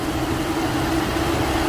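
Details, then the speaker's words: Infiniti G37/G35/Q40 with a faulty cooling fan module: constant loud whooshing fan roar and steady hum, louder near the fan. It runs with AC off, coolant level good and no overheating. "but it's on right now you hit it it's not normal coolant is good feels good here see here we're getting louder"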